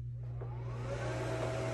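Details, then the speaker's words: Small blower fan of an 8ft inflatable penguin, just plugged in: steady even motor hum with soft whine rising as fan spins up, slow to inflate; runs smoothly and normally. "it's a smaller it's one of those smaller fans so it takes a minute to inflate"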